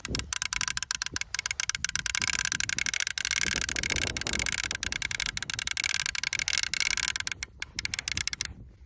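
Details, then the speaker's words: Raven R26 crossbow cocking mechanism: rapid, even, crisp ratchet clicks as the handle cranks the string back, stopping when no tension remains; normal clicking. "I'm just going to push this onto the string you can hear that that nice clicking noise that means you're on there"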